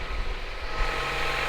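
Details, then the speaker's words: Honda Prelude after valve adjustment, new NGK plugs and plug wires to fix cylinder 2 misfire (30 psi compression): petrol engine idles with steady, even exhaust note, somewhat loud but no more sputtering. "it is kind of loud but it ain't as bad as before and it definitely doesn't sound like um one cylinder is louder than the other if that makes sense i don't know but the exhaust sounds nice and steady before it used to be sputtering"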